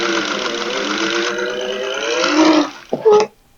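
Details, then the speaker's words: Sewing machine stitching thick towel layers for a potholder: motor hum with a wavering, rising and falling squeal as the needle labours; loose drive belt slipping, belt needs replacing. "I think my belt's a little loose. You can hear it slipping."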